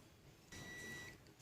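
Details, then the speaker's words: New oil pressure sending unit for a 4D56 engine, tested on the bench: a thin, steady high beep from the continuity tester with no pressure applied, stopping when pressure is applied; normal for a good switch. "so you can hear that beeping okay should I apply pressure it's going to stop BP C apply pressure see the beeping stops now that's how an oil pressure sending unit works basically it is just a switch"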